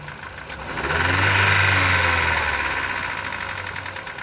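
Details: 2014 Chevrolet Cobalt petrol engine, 70,000 genuine mileage, single owner: a hard, regular knock rising with a brief rev. Teardown found connecting rod bearing play, worst at the fourth cylinder, with burnt black deposits in the rod.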